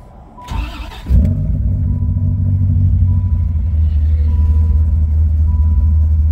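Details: Rebuilt Viper engine, first startup after final assembly, with K&N intake and coolant prefilled. Cranks, catches cleanly and settles into a deep, steady rumble with no knocks or misfires. Normal running.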